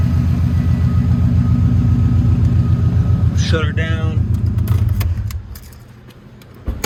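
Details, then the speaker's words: 2007 Subaru Impreza WRX (titled STI) turbo boxer with aftermarket exhaust: steady, even idle with a smooth low pulse, no knock or misfire, then switched off; normal idle. "now i'll show you the engine while it's running so you can hear there's no rod knock or crazy sounds super quiet very well balanced engine no misfiring or whatnot"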